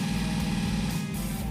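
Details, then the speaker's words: Freshly built V8 in a Chevelle during cam break-in at raised revs, timing set and floats adjusted, to be raised to 3,000 rpm: steady, deep roar with an even beat, no knocks or ticks; break-in going well. "As you can hear in the background, the car's just screaming away doing the cam braking process. Thankfully, everything is going fantastic."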